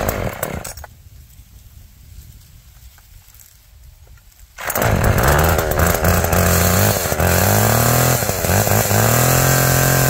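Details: Tuned-up Homelite two-stroke chainsaw, cold start then cutting wood: quiet idle, snaps to strong steady high scream through cut; chain oiling well; owner notes it seems to run a little rich; healthy cutting.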